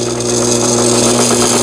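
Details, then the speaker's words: Sister MS350 cast-body sewing machine (sold by Brother, about 20 years old) after repair, test-stitching zigzag: a steady motor hum under fast, even needle clatter with no skips or knocks; stitching smoothly and healthy. "오랜 세월이 흘렀는데도 박음질 아주 잘 되네요."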